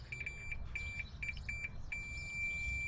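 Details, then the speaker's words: Multimeter continuity check on a glow plug of a diesel that starts hard when cold: short chirps while probing, then a solid continuous beep, a dead short, so that glow plug has failed. "if you hear that beep that's a dead short so that one's stuffed"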